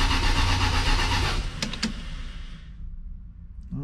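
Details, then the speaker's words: 1979 Lil Red Express truck, first start attempt after six months of winter storage, 15-year-old Interstate battery, about 55°F: sluggish cranking at about four turns a second that never catches, then stops; slow cranking while building oil pressure, tank under half full. "it's a little chilly today it's about 55 degrees not too bad but i can does uh seem a little bit slow"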